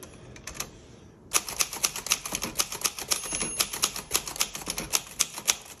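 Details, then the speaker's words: 1962 Royal Dart typewriter at the right margin: the carriage stops but the keys keep striking, crisp and slightly uneven at about four per second. This is normal for this design; the margin release lets the carriage continue. "Okay, so now it's stopped. The carriage stopped, but the typing didn't stop."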